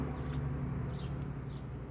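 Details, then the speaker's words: 2011 Scion xB 2.4L at idle, about 590–610 rpm against a 650±50 spec, stored code P1605: low, slightly uneven idle sagging below 600 rpm as the cooling fan kicks in; dirty throttle body causing idle problems. "The vehicle is idling a little bit rough at this moment, but ideally this RPM should be around 650 RPM, plus or minus 50 RPM."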